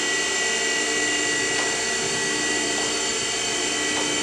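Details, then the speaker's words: Spindle running: steady even whine with constant hum, no knocks, grinding or pitch wobble; spindle runs smooth and doesn't get hot, sounding as expected. "But spindle runs good, and it sounds like I would expect. Smooth and doesn't get hot, which is good."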